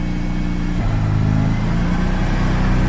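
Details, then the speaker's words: Mazda RX8 rotary after cheap maintenance, idling while warming up before revving: even, steady idle with smooth low hum, no stumbles; owners say the previous miss is gone and it sounds healthy, though it could use a new throwout bearing. "Sounds a little better. Yeah. I mean, honestly, it sounds pretty healthy. Yeah. It doesn't have the miss like it did."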